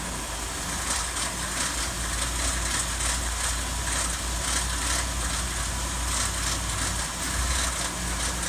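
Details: 2019 Ford F-150 5.0 V8 at steady idle: a light, uneven metallic rattle over its low hum; cause unknown.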